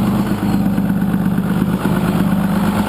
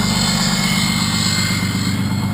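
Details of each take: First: First-gen 6.2 L Cummins, 24-valve, VE injection, MP205 transfer case, exhaust brake engaged: steady diesel drone dropping and surging every second or so as the brake cuts in and out; unsoldered, vibrating switch wires cause it. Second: First-gen 6.2 liter Cummins, 24-valve with VE injection, heard from the cab: deep steady diesel drone with loud even jet-like roar, no knocks; exhaust brake working normally with strong braking.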